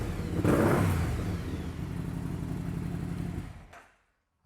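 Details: 2008 BRP Can-Am Spyder with a two-cylinder engine, shaking and misfiring: lumpy, uneven idle beats. Cylinder intake pressures are mismatched, there is a strong fuel smell suggesting a mixture fault, and battery voltage is low at 13.2 V while running.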